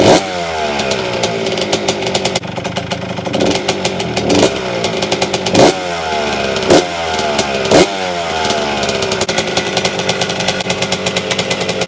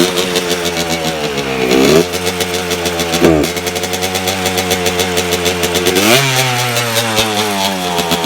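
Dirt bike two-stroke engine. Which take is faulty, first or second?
second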